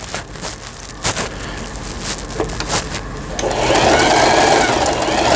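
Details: Thai-built Elna 120 sewing machine after repair of a bent cam follower releasing arm that had stopped forward/reverse and pattern dials: even needle thumping then smooth faster whir, no knock or grind; sews cleanly.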